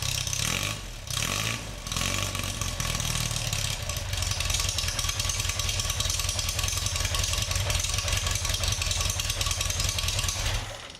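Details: Swift FF95 Formula Ford with a misfire, stone-cold first start after swapping to an electric lift pump (it was previously hard to start): a couple of short cranks, it catches at once and settles to an even, steady idle.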